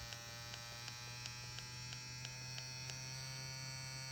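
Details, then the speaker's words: Ambition Ninja Pro tattoo pen, twice defective, working with a cartridge fitted: a thin, steady electric whir with light, even ticking about three times a second; it runs smoothly and sounds healthy. "As i said with cartridge it works good"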